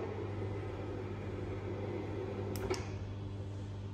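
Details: Motorized vertical blind running up and down after its remote was programmed. A low, steady hum without knocks or grinding; the blind motor runs normally.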